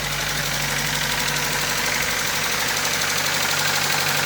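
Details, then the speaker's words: Car at idle after a new coil and fixing a bad connector, now running better: rough idle with steady light tapping about three per second; attributed to a bent valve. "Well, and then it sounds rough because of that bent valve cuz you need that tap tap tap tap. But that's a bent valve."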